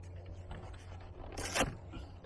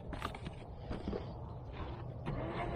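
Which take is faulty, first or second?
first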